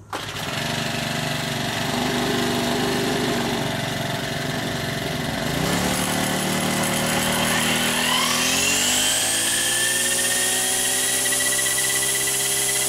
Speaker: そうですいい振動もないの思うのでこれで東海終了です